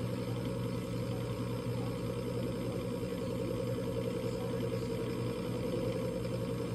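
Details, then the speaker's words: Coleman Presidential DG807BDTA mobile-home furnace: draft inducer motor drones steadily with no pressure switch click; three-flash code means the combustion air switch failed to close, so the pressure switch is suspected bad. "so the inducer motor is running [Music] i didn't hear the pressure switch close"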